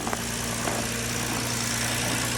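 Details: 2015 Ford Taurus 3.5-liter petrol V6 idling steadily after a failed control module was replaced on a cold morning, fixing a stall after five seconds; an even low hum with no misses, knocks or stumbles, normal idle.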